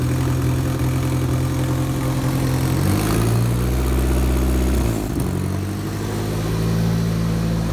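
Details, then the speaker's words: Nissan S13 with a $400 secondhand engine back running, clutch fan not fitted so it sounds like a tractor: loud, deep, even note with two clean blips back to steady idle, no knocks or misses; normal running. "Still haven't got the clutch fan on. So it sounds like a tractor."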